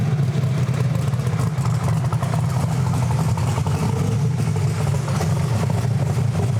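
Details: Camaro with an almost 2,000 hp turbo V8, timing cut by 6 degrees and some boost added: deep, loud, steady roar holding hard under full load with no misses or stumbles before an early lift; normal full-power pull.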